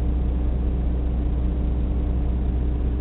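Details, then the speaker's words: 1991 Toyota 22RE petrol engine, warm: steady fast idle around 2,000 rpm with foot on brake, dropping to about 1,000; owner says not a vacuum leak, later traced to the idle air control valve. "if I get in and put my put my foot on the brake at a certain point when it heats up see it's idling like 2,000 RPM right"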